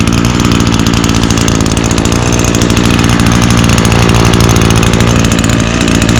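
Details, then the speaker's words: Echo SRM225 21cc two-stroke string trimmer (2019) on 50:1 mix, started with choke and prime via i30 recoil starter: fast, steady buzz at even pitch without surging or sputtering; starts right up and runs normally. "this unit does come equipped with eo's I30 recoil starter so it requires 30% less effort to pull over [Music] look at that started right up like always"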